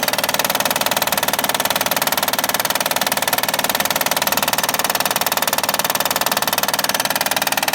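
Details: 2011 Honda Accord 3.5 L V6 at idle with a sharp, very even knock around two per second over the idle, typical of a failing timing belt tensioner; fixed by replacing the timing belt tensioner.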